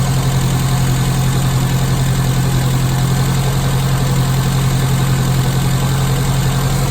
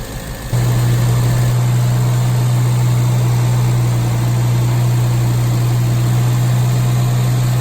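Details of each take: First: Classic Mini carburettor engine after Gunson Colourtune mixture and idle adjustment, blue plug flame: steady, even idle around 900 rpm, smooth low thrum, no misses or hunting; sounding nice. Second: Classic Mini carburetted engine after Colour Tune mixture adjustment and fan belt and float gasket replacement: steady fast idle with strong even drone, no hunting; idling too high, idle screw being backed off.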